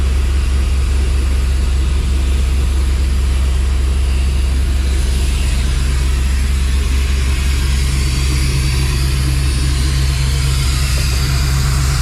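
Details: Dodge Dakota R/T 5.9L Magnum V8, new heads and cam, running while fuel sync is set to +4 degrees on a Snap-on scanner, about 1,000 rpm. Deep even V8 rumble holding steady over twelve seconds, no ticking or knocking; normal idle.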